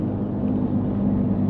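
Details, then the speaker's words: Subaru Liberty Spec B on a test drive: steady low whine over road rumble while cruising, tied to road speed not revs, not clutch; owner suspects driveshafts or wheel alignment, front right has impact damage and a buckled wheel. "the wine is like speed really related it's not rev related"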